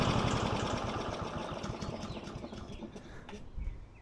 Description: …and the mower finally ran great again 💪